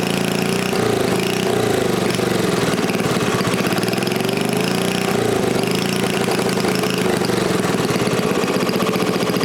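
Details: New-old-stock Briggs & Stratton 5HP dual-shaft aluminum-bore engine, rebuilt, after fixing a no-start caused by the throttle plate closing fully and idle speed set too low; runs steadily with an even, quick chuff, holding speed without surging or missing; healthy.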